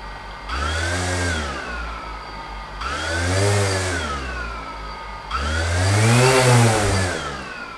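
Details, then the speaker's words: DJI Phantom after bearing oiling with high-speed brushless motor oil, propellers on, weighted down with scuba weights: three clean spool-ups with no grit or rasp. Smooth motor running. "smooth trying to burn down a little battery too so that I can charge it up full anyway that's my suggestion for grinding motors"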